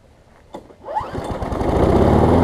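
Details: Craftsman self-propelled mower after new pull rope, spark plug and air filter: pull-start catch, then the small single-cylinder engine picks up on first pull and settles into a steady, even run; healthy.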